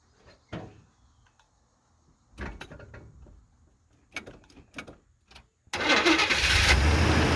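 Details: 1978 Chevy C10 V8 on new plugs and plug wires after its first oil change in 10 years: a few quiet clicks, then it catches and settles into a loud, even run with no misses or knocks, and decent oil pressure if the gauges are correct.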